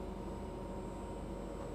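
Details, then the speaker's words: Inverter AC compressor switching on after dead PCB repair, 151 V measured at U-V-W; steady low hum with faint fixed tones under load, running normally with no error shown. "आपको यह आवाज सुनाई दे रही होगी य compressor की आवाज जो है देख सकते हो आप लोग य जो हमारा कंप्रेसर जो है ऑन हो गया"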